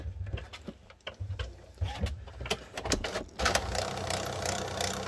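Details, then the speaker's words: HP Photosmart 7520 showing an out-of-paper error with paper loaded: irregular clicks and short motor whirs, about ninety a minute, as it retries the feed without taking a sheet. Paper feed failure; dirty or worn rollers or faulty feed gears suspected. "that noise it's trying to feed paper as you can see papers in there"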